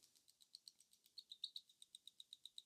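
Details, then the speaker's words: Tandem Mobi insulin pump filling the infusion set during a site change, pump held upright with the pump button pressed: faint, crisp, evenly spaced clicks about seven per second as insulin goes through the tubing; normal priming. "so you can hear that clicking that's the insulin going through the tubing"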